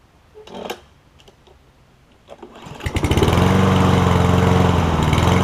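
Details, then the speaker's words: Toro Recycler mower with Kohler engine after pull rope, self-propel belt, bail cable and carburetor work, jet cleared to cure surging; a few rope pulls, catches, RPMs settle into steady even running without surging; runs great, self-propel strong. "[Music] thank you you can hear after the RPMs get situated it runs great self-peld it feels very strong"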